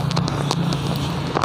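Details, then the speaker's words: Honda Scoopy FI scooter, hard to start, revving with empty throttle like out of fuel: uneven lumpy idle with irregular pops and cracks, very rough like worn valve/camshaft; intermittent ignition, misfire. "suaranya sangat kasar sekali, kayak suara klep, kayak suara noken khas yang habis ya."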